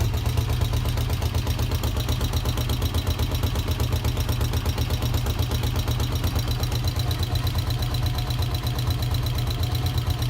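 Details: NF 150 motorcycle with a new 10Ah Delta gel battery, starter cranking well: steady, even single-cylinder chuffing at idle, about three beats a second, with no stumbles; a healthy running engine.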